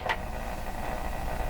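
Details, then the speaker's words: Canadian Spartan Model 5542 vintage radio during audio circuit restoration: a single sharp click pops from the speaker, then only a low steady hum remains; intermittent clicking coming from the speaker. "that's a speaker making that sound like clicking like it's coming out of the speaker"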